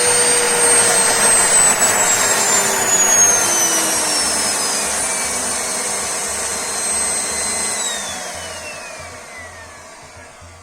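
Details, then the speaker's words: Vacuum cleaner that had stopped working, switched off after repair with its fault traced to the power cord. Smooth high motor whine slides steadily down in pitch as it winds down, with no rattle or scraping; it works normally. "Nhìn chung, mọi thứ hoạt động như bình thường."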